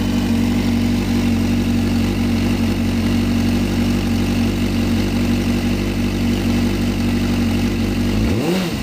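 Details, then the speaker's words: Sport bike, fuel pressure 43 psi at idle but dropping when ridden, fuel delivery test failed, earlier cut out past 8,000 rpm. It now revs cleanly to redline and holds without stumbling, then drops smoothly. Owner assumes a new fuel pump is needed. "w I know I hear it actually it's revving how it should rev right now which is confusing me"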